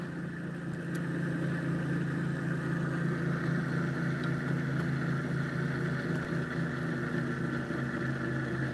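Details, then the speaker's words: Homemade pulse motor with electromagnet rotor: steady low hum with faint pulse about four times a second continues with power switched off; short in circuit drawing about 100 milliamps, motor suspected fried. "even though the power's off. And that's definitely because there's a short."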